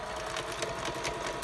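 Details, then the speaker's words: ELNA 3005 sewing machine that wouldn't reverse, run unthreaded and cycled after sitting. Quick light clicking at four to five per second under the motor whir shows the reverse cam underneath moving freely again. "You'll hear that cam clicking left, right underneath. When it does that, it's ready to go."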